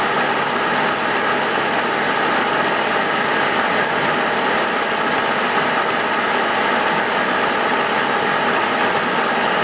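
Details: Milling a vee-block from dense old forklift-tine steel with carbide cutters, an angle cutter and coolant, taking 1 mm cuts: a harsh buzzing rattle with a steady hammering texture while the cutter bites. Chatter from a cheap out-of-round Chinese arbor.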